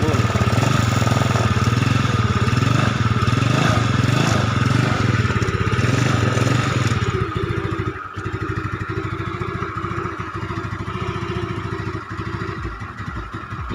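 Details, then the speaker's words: Yamaha Mio Sporty automatic scooter with heavy oil seepage at block and head, consuming oil and fouling plugs: engine revs then settles to a steady putter, sounds normal; oil burning not audible. "yang pasti motor ini kalau dilihat dari suara atau kondisi motor normal tapi ini motor menghabiskan oli atau makan Auliya"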